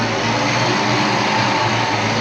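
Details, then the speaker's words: 1988 Saleen Foxbody Mustang V8 with Trick Flow 170 heads, Kenne Bell supercharger, after an apparent fix of the misfire: steady dense V8 note, no stutter up the throttle; exhaust primary temps now even, in the 300s to almost 400s; normal running. "And most importantly, we don't seem to have the stutter right up the throttle here. Nice and smooth."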